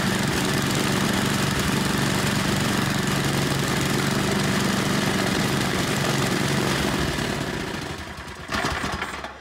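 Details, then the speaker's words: 8hp Tecumseh engine from a Noma snowblower after carburetor cleaning, primed and run at full throttle: a steady, even single-cylinder clatter without stumbling, then winding down, running well. "seems like she runs good we'll put her on the bench get the covers back on and then i think she's ready to go"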